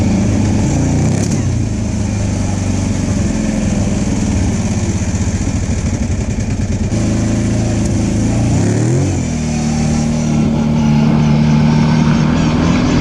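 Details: Side-by-side with a CVT, on its first trail ride after being brought back to running, warning light on: steady drone whose pitch wanders and sags under load instead of pulling clean. The CVT belt was slipping and later broke.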